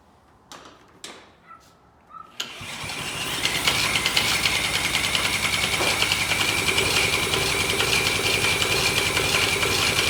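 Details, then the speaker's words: Old Polaris Trail Boss 250 two-stroke, cranked with a drill on the pull-start bolt: a few failed attempts, then it catches and runs a high buzzy idle; slow to start, owner suspects flooding. "it was trying to run I don't know if it's flooded bad or what"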